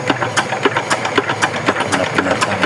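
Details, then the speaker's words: Yanmar DX tractor with Chinese single-cylinder diesel, seized after low oil: turning over with a loose, sharp knock about four times a second, compression present; suspected worn connecting-rod bearing, won't start. "i ada ini kita goyang-goyang kompresinya ada tapi suaranya koplak-koplak mungkin metalnya kena ya"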